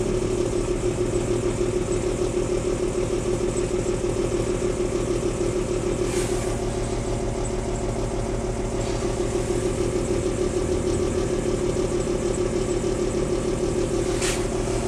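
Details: 1994 BMW 325i rough idle after cold start at 9am in about 45°F weather: slightly uneven, loping beat instead of smooth hum; worse in drive, rough acceleration easing at higher speeds; cause unconfirmed, owner will check vacuum lines, spark plugs and coil packs.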